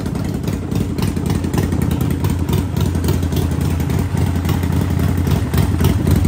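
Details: Harley Sportster dry-sump V-twin at 5000-mile service, just after primary oil change: deep, even loping idle with steady uneven-firing beat and no knocks or rattles; healthy.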